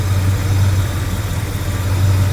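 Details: 1977 Mercury Cougar V8 after fuel pump replacement and a rerouted hose at 5 psi, cold day: deep steady idle with an even low burble, the earlier clacking gone; normal idle.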